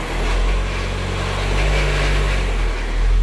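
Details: VW Transporter van engine revving with clutch released: whirring noise from left side, low droning hum from worn flywheel; noise disappears when clutch pedal is pressed, returns when released.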